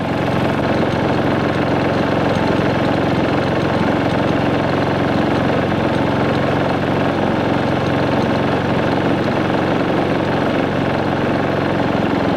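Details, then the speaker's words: New Predator 3500 inverter generator powering an RV with the surge protector bypassed, at 124 V, 0.3 A, 285 W, then the fridge added (4.5 A, 553 W); steady, even drone under load with no surging. "and we've got power and the generator load down just a little bit"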